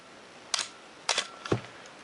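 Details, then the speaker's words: Canon AE-1 Program 35mm SLR (1981), lens removed, fired at about 1/2 s: crisp paired clicks, shutter opening then closing half a second later, clean and even with no drag; shutter firing properly. "I will just step down through at shutter speeds of a thousandth down to two seconds and listen to how they sound"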